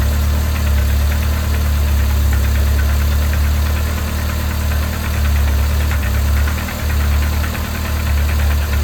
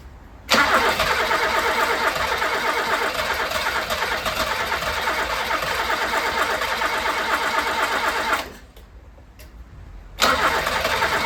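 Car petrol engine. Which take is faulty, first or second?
second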